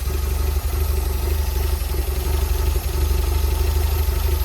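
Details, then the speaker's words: Porsche 924 cold start after sitting a few weeks, new fuel pump and accumulator working with no leaks: low, slightly uneven idle of about four beats a second; rough idle persists, owner suspects the cold start valve. "But obviously the engine hasn't run for a few weeks, so it is a cold start."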